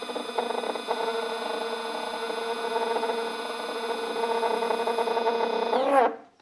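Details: Two printer stepper motors wired in parallel at 4 A peak and feed 2000: a loud tonal buzz with shifting hum that goes quiet when one motor stops turning. The owner wonders if back EMF from one motor disturbs the controller; cause unconfirmed.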